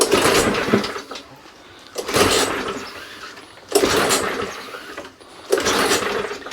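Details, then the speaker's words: Non-running Mountfield 414/416 mower from the tip, pull-started on carb spray with dead man's handle off: four short sputtering bursts about two seconds apart, each dying; fires but not right, owner suspects gummed-up carburettor needing a clean. "it is firing it's not quite firing right what i'm going to do i'm going to do a carburetor clean on this"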